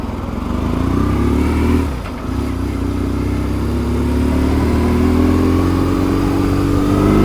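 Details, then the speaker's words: BMW R1150GS boxer twin after fuel filter and fuel pump service: pulls cleanly as throttle opens, even firing, no stumble as revs rise; owner thinks it runs smoother than before. "it's smoother. Honestly do. I really do think that's smoother."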